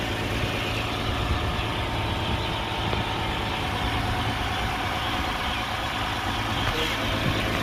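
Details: 2011 Lexus IS300 after crank-no-start repair (fuel not reaching engine), no engine light now: steady, even idle hum with no misses, knocks or hunting; normal idle.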